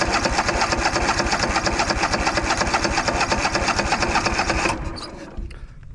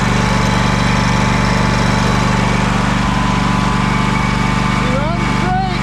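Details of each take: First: Craftsman DYS4500 riding mower, 26 hp Craftsman Courage engine, sat over a year; cranking with throttle and choke after priming with gas: steady chugging crank about two beats a second that never catches, then stops; fuel starvation, no fuel reaching carburettor. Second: Craftsman DYS4500 riding mower, 26 hp Craftsman Courage engine, revived after sitting over a year; steady even putter with no stumbles, surges or knocks; smoking a little but runs well; normal running, needs new fuel cap and fuel line.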